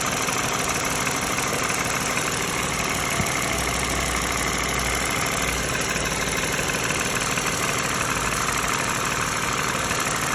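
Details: Used US-spec 2013 Lexus RX350 base idling: loud hiss with a faint irregular engine rattle, also heard in the cabin; cause unknown, front right engine mount recently replaced.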